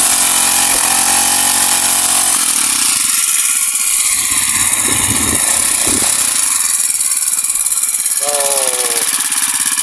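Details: Honda GX35 grass cutter after cleaning its dirty carburetor; spark plug, fuel filter and clutch were fine: small four-stroke putters at a steady idle, revs up cleanly and settles back smoothly. Normal idle and revving.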